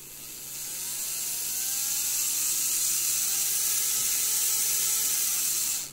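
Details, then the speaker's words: Graham Farish GNER HST loco motor, Chinese Poole-type chassis, after non-runner fix, spun with direct power both directions: smooth high whine climbs then holds steady and even; motor running well. "so i'm just going to spin this up this is one way sounds good now we'll go the other way"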